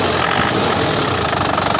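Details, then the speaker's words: 2012 Isuzu Panther LS turbo manual diesel, about 70,000 km, rarely used, factory-original sealed injection pump; steady even idle clatter with crisp regular beat, no stray knocks; healthy idle. "Maklum lur, jarang dipakai, KM-nya dikit. Ini suaranya benar-benar enak nih loh."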